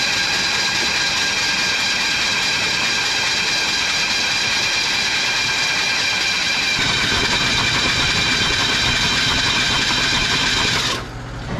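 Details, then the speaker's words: Old OBS Chevy truck V8 with spark plugs removed after water was cleared from the engine and cylinders pre-soaked: steady fast starter whir and hiss with no compression pulses while cranking to blow out cylinders. Cranking with spark plugs removed. "We're gonna go ahead and crank it over, blow everything back out of the cylinders and just see what happens."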